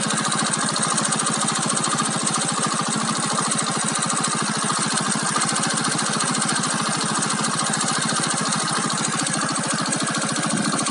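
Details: Keeway Cityblade 125cc scooter with a warm engine at idle: a fast, busy rattle and tick runs through the exhaust note; cause unknown.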